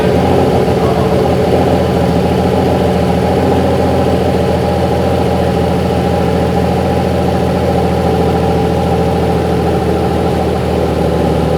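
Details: BMW M50 straight-six turbo build, with a new 4 bar MAP sensor and high-output coils, on its first start without coolant: deep steady idle around 1300 rpm with an early quick throttle blip, even firing throughout; runs healthy.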